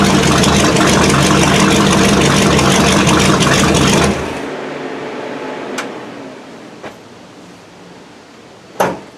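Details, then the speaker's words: 1979 Chevy K20 after winter storage, choke not hooked up: loud fast idle with uneven lumpy beat for four seconds, then dies to scattered pops; owner suspects choke setup or restricted inline fuel filter, unconfirmed. "it was running real choppy at first as soon as i let off the gas it would die but granted this is a manual choke i don't have a manual choke ran up to it so i guess that could have had something to do with it"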